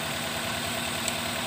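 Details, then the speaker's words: Toyota Rush shaking at idle and hard to start: lumpy, uneven idle as one cylinder drops out; a dead ignition coil is confirmed, the spark plug is wet, and the swollen used coils are recommended for replacement. "kita lihat busi juga pasti busi basah itu nah sarankan Bro roti oil ini dipastikan mati yang juga dari model kuil-kuil bekas gantiin Niko ini udah bengkak juga nih"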